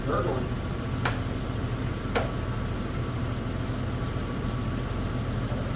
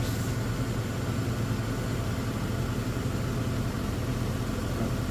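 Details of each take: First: Toyota 4Runner with swapped-in 3.4 engine, 280,000-mile motor that sat for a long time, idling during first warm-up, slightly smoky; steady low idle with two sharp isolated ticks about a second apart; owner hopes it was just the thermostat opening. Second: Toyota 4Runner after 3.4 V6 swap, 280,000-mile engine that sat long: returns from high idle to smooth, even idle with no misses; slightly smoky, later odd gurgling/ticking possibly thermostat.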